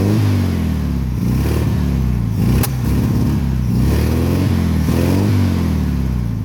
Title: 1972 1300 TP VW Beetle Misfire